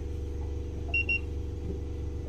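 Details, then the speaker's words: Fischer Panda 5k diesel generator on a Grady White boat: steady low rumble never picking up speed, two short beeps, output only 90–92 volts; throttle actuator failed from excess boost board voltage, so it stays at idle. "it's only 90 92 volts as you can see in the video this thing's only putting out a little over 90 volts that's actually controlled by this arm right here which controls your throttle"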